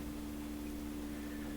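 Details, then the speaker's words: PYE Columbia Stereo 360 amplifier after replacing a defective 300 ohm wire-wound adjustable resistor: at power-on a steady low hum under a loud roaring hiss from one channel, like an airplane; channel fault, not normal. "it's on and it's humming sounds like an airplane"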